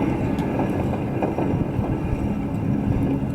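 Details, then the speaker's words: 1997 Ford F-150 2WD front hub, wheel off, rotor spun by hand, with play felt earlier: a rough, gritty grinding rumble instead of a smooth quiet spin; worn front wheel bearing. "that to me sounds like grinding from excessive friction"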